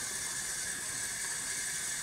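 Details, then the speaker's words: Hoshizaki nugget ice machine, powered off and inlet valve confirmed de-energized: steady, unbroken hiss of water still rushing in with the machine otherwise quiet; water inlet valve stuck open and still filling. "as we can tell here our water valve is still dumping water into the machine even though it has been powered off or even though it's been de-energized"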